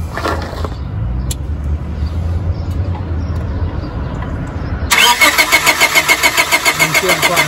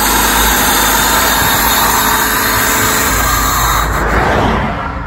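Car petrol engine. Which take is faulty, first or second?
first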